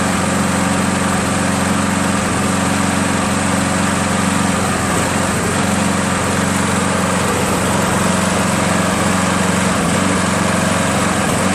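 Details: Craftsman 7HP green self-propelled lawn mower, long hard to start despite lapped valves, checked keyway and carb cleanings; after about an ounce of Seafoam in the fuel, steady even single-cylinder drone at constant speed, no surging or hesitation; runs smoothly.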